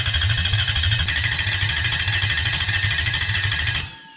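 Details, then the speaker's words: Toyota 1UZ V8 on an engine loom not run before, fitted with cheap eBay Chinese injectors; starter churns about three pulses a second with no catch, engine flooded by leaking injectors, petrol dripping from the exhaust on one side. "i opted to put injectors in on an engine loom that hadn't been run before this one and i actually had petrol dropping out of the exhaust pipe on one side"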